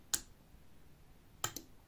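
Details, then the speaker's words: Relay switching a 220 V bulb load in a test circuit, typical washing machine or dishwasher board part: crisp single click, then quick double click about 1.3 seconds later; relay works properly under load. "Čujete li zvuk ključa? Kad ga ugasim, isključi se i prekidač."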